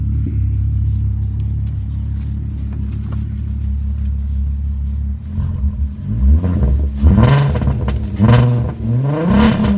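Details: 2001 VW Golf GTI VR6, cylinder 3 misfire just after new spark plugs: uneven idle, then revs rise and fall in rough stumbling bursts with crackle; loses power 25–45 mph; owner suspects coil pack or timing chain tensioner.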